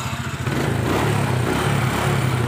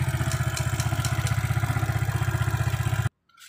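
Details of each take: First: Motorcycle checked for starter that only clicks, battery around 12–13 V: strong, even cranking with a steady pulsing churn that catches into a running engine; starter turns the motor properly. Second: Motorcycle electric starter: steady rapid clicking, about four per second, with no cranking. The fault is in the starter motor (dynamo).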